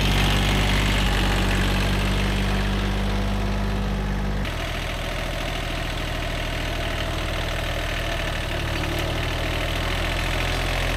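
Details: Old, worn Kubota B7100 diesel tractor after a gearbox rebuild that replaced chewed-up gears and bearings: a steady, even beat with a tone change midway and no grinding or whine; no more gearbox noise, all gears mesh, problem solved.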